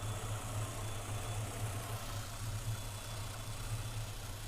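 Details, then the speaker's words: Engine with newly installed throttle body system, IAC pintle seated fully in and unplugged, throttle plates too closed: slow, uneven lazy idle around 450–460 rpm on timing light tachometer, barely staying running, sometimes needing throttle. "My snap-on timing light, as you can see, has a tachometer on it, and you can see it's at 450, 460. I'm surprised it's even idle, and sometimes you have to keep the throttle to keep it going."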